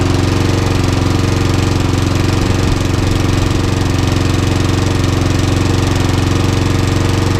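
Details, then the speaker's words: Trash-picked petrol lawnmower, oil-filled tank, run on fuel put into the head: loud single-cylinder running at steady speed, firm regular thump about three a second, no longer smoking; owner suspects the head has gone or a problem with the pistons. "Okay, as you can hear, the lawnmower's on its test. It is now not smoking, but I've got my suspicions it's not right."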